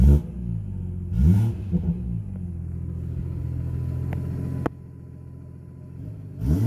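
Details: BMW F30 340i exhaust after replacing the exhaust valve clip (the rattle was first blamed on the downpipe clamp): a few sharp revs settling into a deep, even rumble with no tinny rattle from the exhaust flap. Normal exhaust, fixed.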